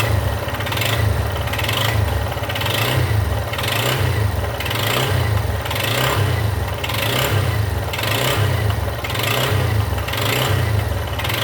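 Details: Yamaha XTZ Lander 250 (2020/21), 34,000 km, engine blipped about once a second: a rough mechanical noise rises with each rev. Abnormal engine noise, source unclear.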